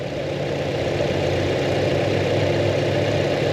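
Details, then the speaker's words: 2025 Toyota 4Runner TRD Pro four-cylinder with timing chain, heard at the engine bay: steady idle with light quick ticking and faint rattle over a rumbly note, lacking an engine cover; normal injector ticking. "Well, you can hear the the uh ticking and rattling of this motor. That needs to be quieted up and an engine cover would help in that regard for sure."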